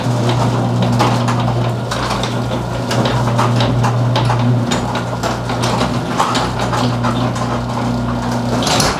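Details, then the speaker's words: Six-month-old garage door opening on its opener before lubrication. Steady motor hum with irregular rattles, squeaks and light clicks as the door travels; cause suspected, not confirmed. Garage door rattling and squeaking while opening. "i'm starting to hear a little bit of rattling and squeaking sounds on some parts this garage door is only actually six months old"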